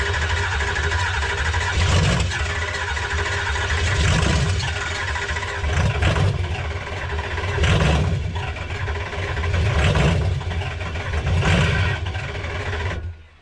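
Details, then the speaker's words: 2005 Ford F-250 converted from gas to diesel, first start after installing a 6.0 Powerstroke engine with only essentials connected: a deep diesel rumble catches and idles fine with a slow, gentle swell every couple of seconds. Normal start and idle. "We got it running, so that's good. We lucked out here."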